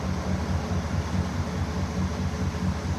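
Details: 2016 GMC Sierra V8 with cylinder 7 misfire: uneven, lumpy idle stumbling every few revolutions as one cylinder drops out, last valve suspected not working, cause not found.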